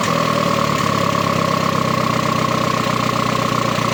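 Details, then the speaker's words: Engine idling steadily and evenly with no misses or hunting after a disconnected hose was reconnected. That hose was believed to be the cause of the earlier high idle; the idle is now normal. "Bueno, mira. El ralentí está normal, como debería estar."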